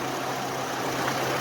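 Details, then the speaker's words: 2003 Chevy Trailblazer after ignition coil replacement: smooth even idle with a steady hum, no sputter or skipped beats, firing cleanly; normal idle after the repair. "okay wow that it's definitely a smoother running engine right now I I can physically see and not sputtering"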